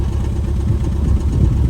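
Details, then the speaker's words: 2013 Ford Fiesta 1.25 L petrol idling rough with engine management light on, some smoke and vibration; low uneven idle with irregular exhaust thumps; code P0303, cylinder 3 misfire, fixed by replacing plugs, coil pack and leads. "however engine management on vehicle running little bit rough"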